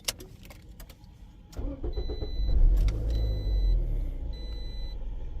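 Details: Scion xB after new battery fitted (old battery bad, alternator tested good) for battery warning light: short crank, catches cleanly, settles to steady even idle with dash chime; warning and check engine lights off.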